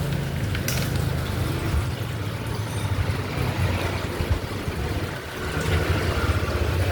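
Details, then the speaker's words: Yamaha Nmax V.2 scooter after replacing a faulty cam chain tensioner (noise had quieted when revved): soft, even low idle hum with no ticking or chain rattle; engine now quiet after repair. "อ่ะเงียบส่งร้านได้ครับ"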